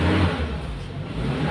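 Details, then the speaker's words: Used standard Suzuki Katana, revved from inside the cabin during pre-purchase check: short smooth rise in engine note with deep even rumble, no knocks, rattles or odd noises felt through the pedal; engine revs cleanly. "gas gini gak ada suara aneh dari rasa kaki pun gak ada suara kayak apa ya Ee terasa pokoknya di kaki"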